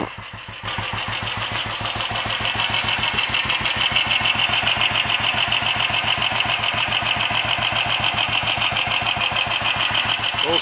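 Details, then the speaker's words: Royal Enfield 500 single after full rebuild (new mains, forged roller-big-end conrod, forged piston, alloy barrel), strobe timing spot-on, tickover set after carb adjustment: steady slow thumps, three to four a second, no misses or knocks. Normal idle. "I've set a tick over and it's it sounds like it's probably pretty near now"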